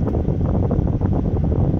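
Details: Homemade mobile split system converted from an Arielli inverter air conditioner, on turbo mode at 26°C room temperature with supply air dropping to about 9°C: even rushing airflow, low steady hum, no rattles or squeals; normal operation.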